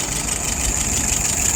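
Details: Restored WO carburettor on a 48 flathead test engine, float set right with no drips: steady even idle with soft low rumble, no misses or stumbles, about 660 rpm, fuel pressure about 2.75, vacuum 23, dwell 42; running smoothly.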